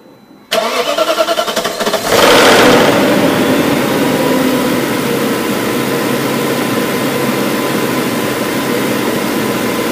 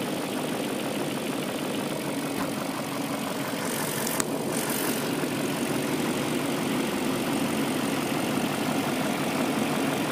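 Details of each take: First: BMW M62B44TU V8 (stock exhaust) cranks, fires and settles to idle with a busy metallic timing chain rattle at start-up. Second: BMW M62B44TU V8 petrol engine idling right after replacing the chain tensioner with an aftermarket INA part: steady, even hum with no chain rattle, normal idle on the stock exhaust.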